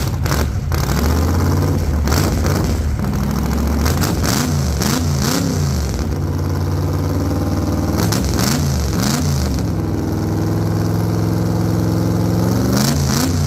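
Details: 1948 Chevy Fleetline small-block Chevy V8, 4-speed, open headers, test burnout on wheel chock after repair for pushrods breaking on first burnouts: loud repeated hard rev bursts climbing and dropping cleanly, no clatter or miss; sounds healthy, normal revving.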